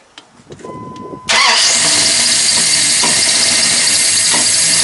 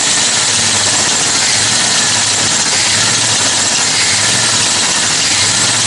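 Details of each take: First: Freshly rebuilt Mopar 360 small block in a 1997–98 Dodge Ram 2500, first start: cranks, catches and runs loud and uneven with a miss; timing still off. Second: Rebuilt Mopar 360 small block in a late-1990s Dodge Ram 2500 after correcting firing order and vacuum leaks: even, steady idle with no misses or knocks, just a faint belt chirp; runs healthy, a little smoke.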